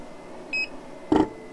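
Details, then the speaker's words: Snowmaster Traveler series portable freezer, running hot after direct sunlight, on Yeti Goal Zero 400 12 V power: short beep then dull thunk as compressor repeatedly restarts unprompted; fuse and 12 V connections checked good, overheating suspected, cause unconfirmed. "I'm going to turn it on. There it goes. I don't know why it's doing that. Okay, there it did it again."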